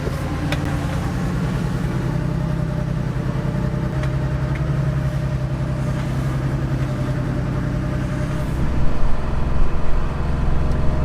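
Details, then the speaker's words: Porsche 911 3.2 Carrera, warmed up after a drive, idle about 200 rpm high: lumpy, uneven idle with a stumble about three times a second, a lost cylinder, a misfire later traced to a bad fuel injector. "sounds to me like we've lost a cylinder so i got to figure out why that is our idle is too high"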